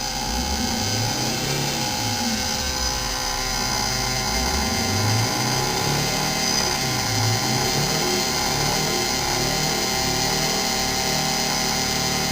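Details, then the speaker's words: 1987 Wanderlodge PT40 with 8V92TA Detroit diesel, recorded up front where the rear engine is much quieter, jacks still up: a muffled drone climbs and holds flat at the governor limit, running evenly without misses; normal governed maximum speed. "that's the governor limit right there [Music] anyhow thing's pretty much as he should be"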